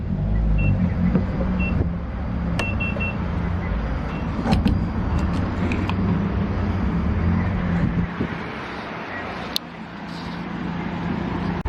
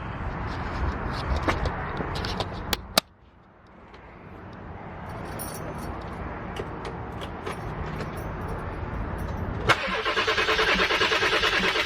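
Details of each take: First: 7.3 diesel van, running again after starter replacement: low, even diesel rumble with steady clatter and a few handling clicks. Normal, healthy idle. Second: 7.3 diesel van, new starter just installed, cranking after running dry: steady rapid cranking that never fires; owner is pressurizing the lines with a blowgun to push air out through the fuel bowl at the fuel filter. No start from air in fuel lines.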